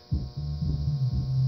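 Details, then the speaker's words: Monitor Audio RSW12 subwoofer playing audio: deep steady low hum under the sound. High-ESR filter capacitors let about 3.5 V ripple onto a roughly 16 V supply, dropping the 12 V regulator's input below its 14 V minimum. "it actually works seems to work pretty [Music] well but the problem is it has this low hum to the audio"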